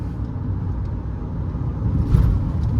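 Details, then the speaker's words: 2017 Mahindra XUV500 with the 1.99-litre engine, about 64,000 km, cruising around 80 km/h in third gear; a low, even rumble with no knock, whine or rattle, running quietly. "रत्ती भर की भी मेरे को कोई noise की complaint है ही नहीं इस गाड़ी के अंदर से"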